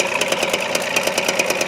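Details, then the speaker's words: Carbureted 4WD pickup at 23°F, idling and losing oil: quick exhaust pulses with an uneven, dropping beat as one cylinder keeps missing. Owner suspects a head problem such as a bent valve, and it clatters under load. "But yeah, there's a big difference. There's one cylinder that's got a problem."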